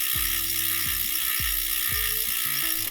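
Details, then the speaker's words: EliteWheels Drive 50D carbon disc wheelset, aluminium freehub, wheel freewheeling: loud, crisp metallic ratchet buzz with sharp, even clicks; healthy but noisy freehub. "so yeah they sound they sound pretty tasty but they are certainly loud people definitely hear you freewheeling up to the up the lights with with these on that's for sure"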